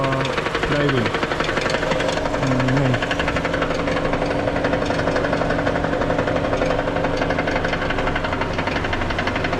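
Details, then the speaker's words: 2018 Toyota Camry 2AR-FE automatic idling with aircon on, engine lifted: loose, irregular knock about three times a second between engine and transmission, stopping under load; flexplate found cracked completely around the bolts. "with this kind of noise, when revolution you'll hear no sound that means there's a possibity that the noise is coming from flywheel it's either the flywheel is cracked or the balancer"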